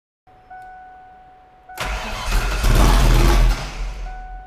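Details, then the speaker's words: 1988 Foxbody drift car after undoing a 180-degree reversal: faint tone, then a short crank before the engine catches, revs cleanly and settles. Normal start. "That sounded better. >> Sounded better."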